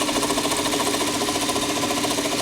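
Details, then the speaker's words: 2007 Toyota Camry, 265,000 miles, engine bay at idle, hood open: fast even ticking with steady whir over idle, unchanging rate; owner can't identify it, thinks it's like the alternator — ticking/whirring noise. "It's just that sound. I just can't figure what that sound is. I really can't figure out what the sound is. It's like the alternator."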